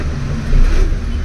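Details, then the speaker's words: Maruti Alto K10 after starter motor repair (jammed Bendix and worn brushes replaced), tested with AC on: engine starts with no crank lag, deep steady rumble settling evenly; normal start. "അപ്പോഴും lag ഇല്ല ഒരു lag പോലുമില്ല"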